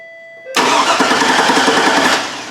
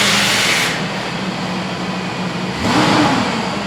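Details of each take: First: GMC Yukon Denali after a salvage-yard PCM replacement. The injector has power, but while the engine cranks evenly for about two seconds there is no injector pulse and it never catches. Crank, no start. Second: GMC Yukon Denali 6.0 V8 after a PCM replacement for a no-crank fault: it fires, settles, then two clean throttle blips rise and fall smoothly while still cold before warm-up; it sounds healthy and strong.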